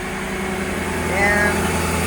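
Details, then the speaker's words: Mercedes G-Wagon V8 idling after engine cleanup of stray oil, new oil, new filter and fresh coolant: smooth steady low hum, no knocks or misses; slight smoke from burning off residual oil, otherwise running great; normal idle. "there is going to be a little bit of smoke cuz it's burning off oil that was down there but other than that she's running great"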